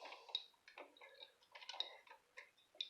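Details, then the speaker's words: Treadle sewing machine stand with a 237 machine head, after cleaning, oiling and tightening the gap to fix a clunk: only light soft ticking each treadle stroke, no heavy clunk; now much quieter, slightly stiffer, running normally. "now it's much quieter but it's also a little stiffer so I'm not unhappy it's a little awkward trying to lower the camera and try to travel but it's extremely quiet"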